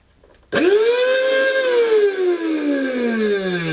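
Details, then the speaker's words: 1990s Goblin Handy mains-powered handheld vacuum cleaner, sold as new but clearly used: motor whines up to a high pitch, then sags lower with a rough buzzy edge; abnormal motor noise, smells, owner thinks it is probably terminal. "Well, that doesn't sound right. Right, I'm complaining about this. That is not new."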